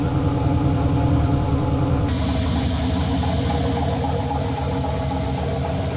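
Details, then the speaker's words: Turbo LS Chevelle with Holley Terminator X just after first fire-up, fuel pressure 75 psi: loud, lumpy V8 holding a fast, elevated idle, above target with the idle air control at 0%; owner thinks the throttle blade is open too much. "also i noticed that the iac the idle air control was at zero percent and the idle was still above the target so what that means is i think the throttle blade was open too much"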